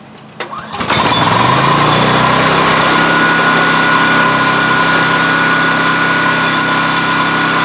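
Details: Coleman Powermate 6250 generator with Subaru engine: it fires up and settles into a steady, fast, even drone with a high whine, running too fast. Overspeed; output reads about 143 volts and voltage and Hz can't be set right.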